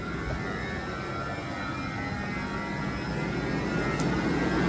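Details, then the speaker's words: 2021 Jeep Wrangler 4xe 300-volt electric AC compressor in hot, humid conditions: a loud steady whir that ramps up and comes back down under load, with fan noise building underneath. This is normal for the 4xe and the compressor should not be replaced. "so this is pretty loud now the fan gets loud also but the compressor itself you can hear you can hear it ramp up and then it's starting to come back down it's really loud"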